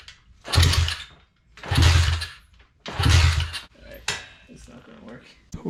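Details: Neglected Thumpstar pit bike that won't start, after a new fuel line and filter: three one-second cranking bursts with a soft even chug and no firing.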